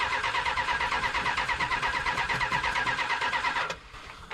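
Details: Old Mopar muscle car with an 11-year-old battery, starter jumped at the relay, in park: cranks rhythmically about three turns a second for several seconds but never fires; crank no start, spark found but one carburetor jet not squirting fuel.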